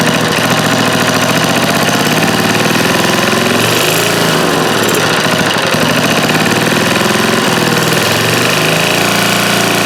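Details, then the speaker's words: Old eBay generator, fuel gasket leaking: small engine chugging loud and fast with a slightly rough, uneven beat, running only with choke on; owner suspects carburetor or fuel pump, and governor seems not to regulate speed. "Let's let the choke on and try again. That seemed like it kind of worked with the choke on."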